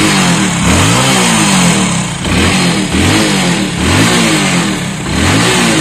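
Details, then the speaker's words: Motorcycle (Splendor/Passion Pro/Shine type) that jerked and missed when cold at light throttle, after refitting the carburettor slide correctly: crisp repeated blips about once a second, clean rise and fall, no misses; revs normally. "अब गाड़ी को start करके देखेंगे चाबी स चन करेंगे तो गाइस पूरी तरीके से रेस ले रही है"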